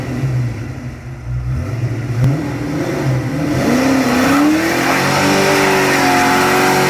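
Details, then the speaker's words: 1988/1989 DECH No. 005 Fox-body Mustang, started after sitting many years and revived by bump start: engine catches, speed rises and settles into a steady, even idle with no misfire or knock; normal idle. "Idols perfect now we are now ready to fill the car up with some fuel and take it on its maiden voyage"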